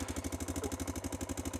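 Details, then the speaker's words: Honda Dominator 650 single at idle: steady thumping with a quick, even metallic top-end rattle on every beat. Owner suspects the cam chain tensioner snapping back; the shop reportedly renewed the chain but the tensioner may not have been replaced. "वह पहले से ही खड़खड़ाहट की तरह थी कभी-कभी आप जानते हैं कि जब नीचे प्रकट होता है तो मुझे लगता है कि टेंशनर हमेशा वापस तड़क रहा था"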